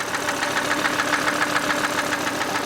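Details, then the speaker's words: Volvo C70 2.0 turbo five-cylinder bought cheap: sharp, regular metallic internal knock about seven per second over a steady idle; engine unhealthy, cause not investigated, replacement engine bought instead. "it's not healthy now I could potentially try to investigate the reason why it's doing it"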